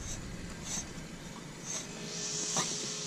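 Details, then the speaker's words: Ford Mustang GT AC compressor clutch pulley spun by hand after a burning smell and smoke under the hood; other pulleys spin freely: dry, gritty metal-on-metal scraping whirr fading as it slows, from shot bearings inside the AC clutch pulley. "sounds like metal on metal contact because it's the bearings that are shot inside"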